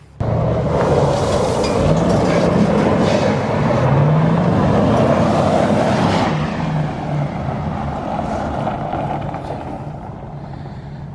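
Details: Supercharged Crown Vic V8 with 5-speed manual swap, after replacing an arcing coil pack and fixing the mass airflow sensor pipe installed backwards; strong steady drone, no misfire stumble or popping, easing down at the end: normal running.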